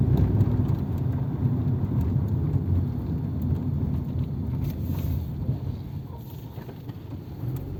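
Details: 1997 Nissan Altima at warm idle after a rebuilt MAF sensor was fitted without its O-ring to cure random lean trims pegged at -25%, a fault worse at idle. Low, even idle beat with no dips or stumbles and light hiss; seems fixed.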